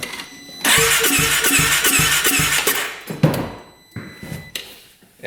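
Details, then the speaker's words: 2017 Polaris RZR 570 during a compression test: light, quick cranking with soft, even compression puffs and no firing. Gauge reads about 20 psi where at least 60-70 is expected, so compression is low. "it's definitely low. What do we have here? We have about 10 20 PSI. Exactly 20. So, it needs to be probably 60 70 at least."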